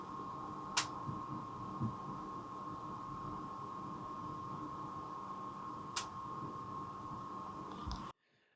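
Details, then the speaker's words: iMac G5 after fixing its thermal issue and installing a replacement disc drive, booted up: steady low fan hum with a faint 1 kHz tone and no ramping or surging. The fans are quiet and normal. "Hopefully you can hear or rather not hear that that yes, the thermal issue has been solved."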